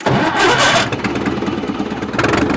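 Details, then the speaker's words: 1950s Caterpillar Traxcavator track loader diesel on 24-volt cranking with ether: loud cranking catches into rough, uneven diesel clatter that steadies; engine starts, some smoke of unclear origin, wires not hot. "is that it yeah I'm getting some smoke here I can't tell if that's electrical or if it's just exhaust my wires don't feel hot"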